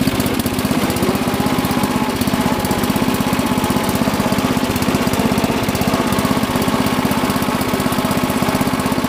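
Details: Rebuilt Murray Lawn Chief lawn tractor, 11 hp single-cylinder, already warm from mowing, rebuilt clutch, new belts and chain: steady even putter about four beats a second, no misses or knocks; runs healthy.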